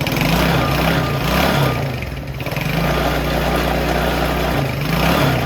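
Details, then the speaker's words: 70cc Chinese quad brought back to life: small engine popping along with a raspy, hollow intake roar that swells and dips with throttle, louder from the carburetor than the exhaust; loud intake noise. "Alright, so what do we think about sound? I feel like you can hear more sound coming through the carburetor than the exhaust."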